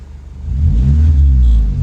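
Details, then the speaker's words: 2012 or 2013 Honda Civic revving after replacing a destroyed engine mount with the correct hydraulic unit, muffler broken: deep even exhaust rumble climbing smoothly, no rattles or vibration in the cabin; normal revving, mount fixed. "nice and smooth inside of here no no rattles no vibrations no shaking nothing"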